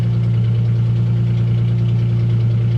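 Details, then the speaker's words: Car with 121,000 miles and an aftermarket exhaust, at idle: a deep, loud, steady drone with a heavy low rumble and no muffling. No exhaust pipe is visible and the mufflers appear to be missing. "she sounds good. Can you hear that? Whoa. Okay. Well, there's no exhaust pipe. I can't see if there's an exhaust at all. I think we're missing some some mufflers."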